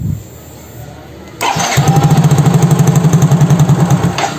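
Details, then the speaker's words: Soul GT injection scooter (Mio J engine), warm at 80 degrees: catches, fairly steady idle, then pulses unevenly about three and a half beats a second with hiccups and dies; plugs, coil, injector, compression, throttle body, fuel pressure checked fine; scanner showed barometric pressure sensor reading 85 kPa, faulty sensor. "motornya bisa hidup e langsamnya ya lumayan stabil tapi motor mati-matian mati-matian arti kayak ada suara ceguken terus motornya mati"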